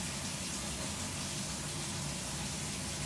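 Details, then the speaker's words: Washing machine in diagnostic test mode, first function checking the cold fill (then hot, warm, cold tap): steady, even hiss and gush of water with no chatter or hammering; fill valve flowing normally. "And right now we're in the first function where it's checking cold. It's going through these different items here."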